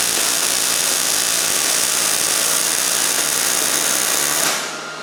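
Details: New Miller Millermatic 211 MIG welder with voltage turned back up to about seven and a half after a low-voltage pass that skipped: steady even frying sizzle with no pops for about four seconds, a smooth properly set weld.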